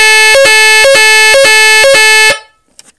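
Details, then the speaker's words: AVISS EVAC type 2b fire alarm panel, general evacuation triggered: loud steady two-tone siren stepping about twice a second, then cut off; normal evacuation siren, sounds 5 minutes, rated over 90 dB, speaker partly disconnected. "sirène se déclenche pendant 5 minutes. Mais sur ces vidéos, j'ai un peu débranché le parleur parce que ça sonne très forte. Plus 90 décibels."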